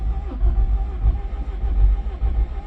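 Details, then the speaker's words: Honda Accord CB9 wagon after F20B swap (replacing F22A), first start attempt after flashing ECU calibration, clutch switch jumpered: starter cranks heavily for nearly three seconds but never catches; tachometer not moving, owner suspects no spark. Crank, no start. "Okay, everything should be hooked up in there. All the plugs, the distributor. I just don't see the tachometer moving, which is one indication of maybe no spark."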